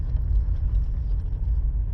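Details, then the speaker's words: Mom's car after replacing the front brake pads: low, steady road rumble while rolling slowly and turning right, and the squeak previously heard on right turns is gone. "So, I don't even need to drive it far because you can hear it as soon as you turning to the right. And it's all gone now."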